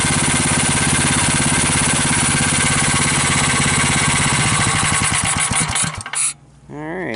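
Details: GX390 420cc single-cylinder engine after an ATV carb swap (custom intake manifold, cleaned carburetor, new air filter, choke cable, thumb throttle, battery start, full bowl) fires quickly, runs an even thump at steady speed for five seconds, then shuts off cleanly; normal start and run.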